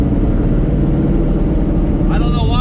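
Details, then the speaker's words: Ford Crown Victoria Police Interceptor with swapped GT500 engine (1200+ hp) on ethanol, restarted after repair; too much cranking fuel had prevented starting. Deep, steady rumble at even idle, no popping or stumbles; 80 psi oil pressure, normal idle. "idling hi she's push the thatíll body shot okay it's figuring it out"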